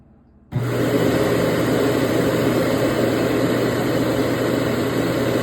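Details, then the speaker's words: Yedi robot mop docked in its Omni station, bought at Goodwill, with an AC in the background: a steady buzzing hum with a low drone and fine rattle as the mop vibrates and releases water into the sump. Normal dock wash cycle. "So what you heard there is it vibrating and put it down. It's putting down water."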